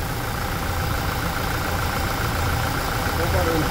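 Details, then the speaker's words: 2020 Toyota Hilux, about 90,000 km, after automatic transmission oil change and lubrication of noisy area; even engine hum at idle with no whine, knock or grind: the noise has stopped. "viu parou o barulho então vocês estão vendo gente"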